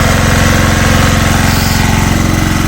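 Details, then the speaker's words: Small single-cylinder generator engine with the head machined to run on LPG, loaded to about 2 kW on gas with the throttle wide open: rhythmic surging and shaking, sneezing even without load; rough running on gas, cause unconfirmed. "не хоче на газу тоді хоть робив на газу хоть на 2 квттах"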